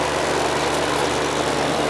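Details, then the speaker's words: Heat pump AC unit not cooling, outdoor unit: only a steady condenser fan whoosh with airflow hiss, no low compressor hum; the compressor tries but fails to start, and a bad capacitor is suspected. "I think it's just the fan running. Need a bad capacitor, I think. You could hear it."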